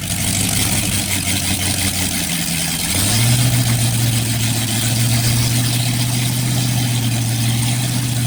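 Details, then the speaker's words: Freshly rebuilt 1960s Chevy 327 carbureted small-block V8, first run with new HEI distributor, cam not yet broken in: smooth, even idle that picks up slightly then holds, no ticking or knocking; good oil pressure, timing unchanged. "Like you can see, our wonderful friend, Mr. Div's engine is running. Oil pressure. Everything's perfect. Engine sounds good."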